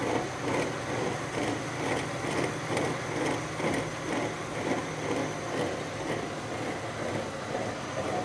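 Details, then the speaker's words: Mercury Grand Marquis with rear-end vibration, rear wheel spinning: rough, rhythmic grinding rumble pulsing about twice a second from a worn rear wheel bearing; some brake issue also present. "but anyway it looks like it's a wheel bearing right"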